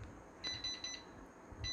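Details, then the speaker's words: Hybrid solar inverter PS-3K-24V on 24 V test supply, output 228 V, under repair for failed inverter section: short high-pitched repeating double beeps, error 01 alarm because no cooling fan connected yet. "01นะครับ01ก็คือพัดลมนะครับยังไม่มีพัดลมเดี๋ยวหาพัดลมมาเสียบก่อนนะครับ"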